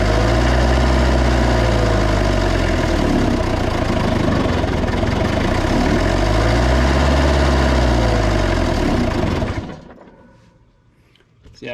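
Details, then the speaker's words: 1990s Toyota SDK7 diesel skid steer that sat outside for years, after electrical repairs: runs hard and fast with slow rises and falls in pitch, never settles to idle, then shuts off; throttle stuck high, runaway high idle, cause unknown. "see there's just no way that can be right um there just no way because it's just way too hard to get that to get that throttle right"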